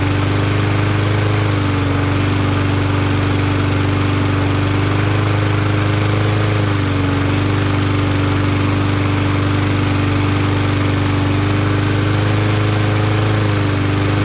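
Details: Yard Machines MTD 21" mower, Briggs 550EX, after bending the governor bar to raise rpm: steady, even drone with no hunting or misses, holding governed speed at about the right rpm. Normal running.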